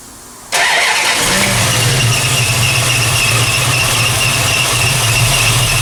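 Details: 1968 Plymouth Barracuda, ATK crate motor with new ACES EFI distributor, first fire-up: catches and settles into a rough idle with a constant high belt squeal; owner suspects something loose.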